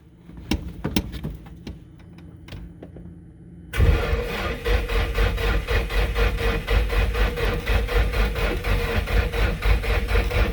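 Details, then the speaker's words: 1995 Nissan S14 240SX SR20DET, first crank after engine rebuild, gauge showing 10.5 V: laboured even cranking about four beats a second after fans, never catches; slow weak cranking from low battery. "it did sound like it's low in juice though it does yeah i'm only showing 10.5 on the gauge"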